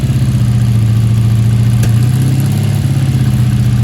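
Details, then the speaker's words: 1984 Honda V65 Sabre VF1100S, just started after sitting outside a couple of months: low, loud idle that wavers and stumbles rhythmically; owner suspects dirt pushing through. Rough idle. "that's weird she got some dirt to work out doesn't she she pushing something through"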